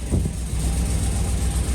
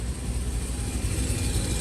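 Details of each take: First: 2004 Chevy Colorado with cammed 5.3L LS V8 and hidden turbo kit: lumpy loping idle running on only four cylinders because half the spark plug wires were left unplugged. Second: 2004 Chevy Colorado with a cammed 5.3L LS and hidden turbo kit, after giving all spark plugs power: deep, even V8 rumble with all cylinders pulling smoothly, very quiet exhaust and barely audible turbo, then settles as revs drop; running healthy.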